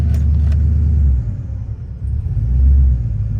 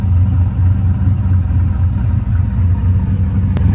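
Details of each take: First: 2000 Silverado with 5.3 Vortec, Brian Tooley Stage 3 cam and 92mm throttle body: a deep V8 rumble dips then surges, and idle hangs high in drive and reverse. There is rough, surging idle and poor AC at idle. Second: 2000 Chevrolet Silverado, Vortec 5.3 LS V8 with Brian Tooley Stage 3 cam and 92 mm throttle body, during idle relearn after part replacement: deep steady idle with soft rhythmic lope, no surging or hunting, no longer near 1000 rpm; normal cammed idle.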